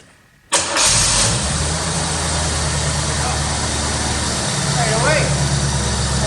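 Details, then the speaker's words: 1985 Chevrolet Corvette C4, sat about 2–2.5 years, started on a weak, heavily charged battery: it cranks briefly, catches at once and settles into a steady, even idle with no misses or knocks. A healthy start, and the owner is happy with it. "all right okay well i'm happy with that"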